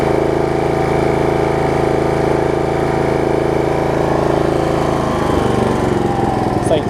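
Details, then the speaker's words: Snapper rear-engine rider at full throttle after carb cleaning, new deck belt and throttle cable repair; steady, even high-speed drone without surging or misfires, easing off near the end; drawing like a dream, running excellent. "like a dream it's running excellent"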